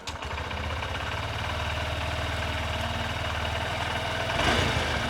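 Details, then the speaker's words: Honda CB125F (2026) single-cylinder motorcycle started after valve clearance adjustment: catches and settles into a steady, even idle with no ticking, knocking or strange noises. "Yeah, it sounds good. No, no strange noises."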